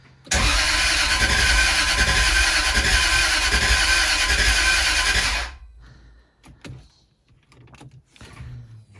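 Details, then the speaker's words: Jaguar S-Type V8 with a new engine, new plugs, primed fuel system and WD-40 in the cylinders: steady fast cranking for about five seconds that never catches; no start, before the crank position sensor connectors were swapped. "all right let's crank it over nothing trying again"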